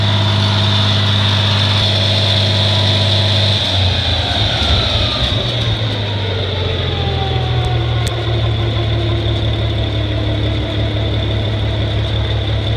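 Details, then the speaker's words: 1963 Farmall 706 gasoline tractor, just bought, after a loose gear was found inside the timing cover: steady even low rumble at idle settling after a slight change in pace, smooth with no knocks or hunting. "but Hank it runs good fire it up for you"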